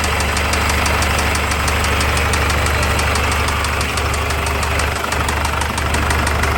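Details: PJ Ford Ranger at idle with a sharp, regular knock about three times a second over a steady idle. The engine recently developed the knock and its origin is unknown.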